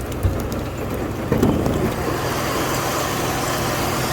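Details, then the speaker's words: 1994 Cadillac DeVille after power steering pump and lines replacement, hood open in rain: low, steady idle hum with no power steering whine; water on the belt may cause a slight normal chirp. "but i mean you hear no wine no nothing very very quiet that's the way i like it"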